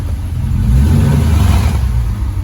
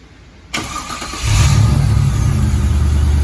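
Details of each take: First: Car started for its first drive in over a year since engine pull: deep, loud open exhaust roar swelling with each throttle blip, no muffling, muffler blown out inside. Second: Sounds so much better when it starts now. That starter sounds good.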